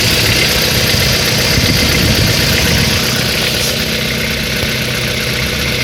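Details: Mitsubishi Lancer 10 with 1.5 engine: a fast, fairly even tapping of about four a second rides over a busy idle; an engine knock at idle of unknown source.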